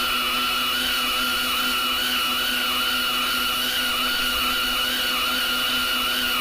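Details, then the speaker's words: Lathe turning a 10-inch 4140 heat-treated vertical gearbox output shaft with deep journal corrosion: loud steady machining whine with slowly wavering pitch; machine loading up hard; lathe straining under heavy cut. "that seems like we're loading the machine pretty good here I'm up back off on that bead sounds there just sounds like it's really loading up today"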